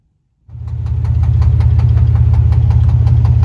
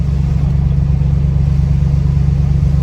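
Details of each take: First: Lincoln Town Car V8 that burns about a quart of oil every 2,000 miles, after a burnout: steady idle with regular light tapping at about 160 per minute; owner suspects low oil or old accessories and plans to check the oil pressure. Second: Lincoln Town Car V8 ($1,200 beater, burns oil, overdue change) driving at low rpm in rain: deep even loping burble, steady pulses, no knocks or misses; healthy V8.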